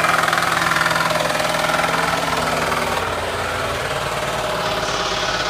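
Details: 2001 Ford Taurus SES at idle: steady hard knocking roughly three to four a second, deep in the block from the oil pan area under a busy engine note; bottom-end knock.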